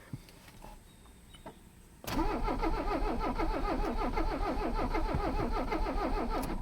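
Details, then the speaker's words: Mercedes 300CD diesel, long abandoned, being revived: long steady cranking at about three compression pulses a second that never catches; owner suspects the glow plugs aren't working, and the battery is weakening. "ay that's a bad sign i don't think the glow plugs are working"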